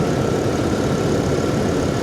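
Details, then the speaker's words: Salvage-auction truck at a Copart yard, AC compressor not running: steady, even low rumble at idle, nice and quiet, no knocks, ticks or misses; normal idle. "a good looking truck guys i really like this i really like this it's nice and quiet"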